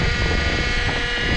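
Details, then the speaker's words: Cold 2008 Honda Accord after a long crank, idling at about 1500 rpm with a cracked intake duct. A steady whine comes from the power steering pump: the fluid is low and foaming badly as the pump sucks in air. "That's the noise you're hearing right now. It's your power steering pump. It's probably low. It's foaming real bad."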